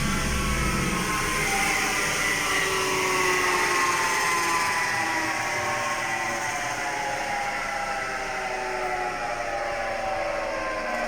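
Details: All-wheel-drive car with manual gearbox, home test: steady droning hum falling in pitch as the wheels coast down; worn (dead) wheel hub bearing hum.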